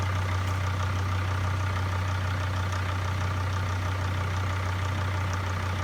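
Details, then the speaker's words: T1N Mercedes Sprinter diesel with EGR problems, started just after reconnecting the battery: steady, even idle with a low, smooth drone and no knocks or misses; engine running healthy. "Yeah so basically I kind of paused a little bit so you could see you could see the way this engine is working it is working really beautifully"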